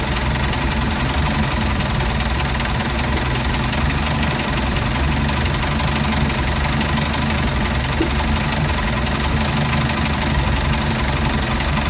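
Loud, heavy engine idling with an uneven, lumpy beat that never settles into a smooth rhythm, a rough idle with the cause unknown.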